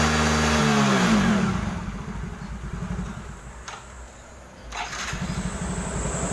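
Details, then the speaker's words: Yamaha Mio J (115 cc, fuel-injected) after repair of stumbling (brebet) under throttle, related to injector and injection pump: starts at once, even steady putter that picks up cleanly on each throttle blip; smooth, normal start and throttle response. "Mesinnya langsung menyala dan merespons dengan cepat saat digas. Jadi, ini benar-benar mulus, itulah yang bisa disebut mulus."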